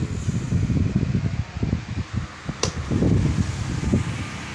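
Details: Household electric fan after repair (blown fuse, rewired with heat sensor fitted), running at speed settings one to three; strong low fluttering rush of air buffeting the microphone, no grinding or rattle; normal fan running.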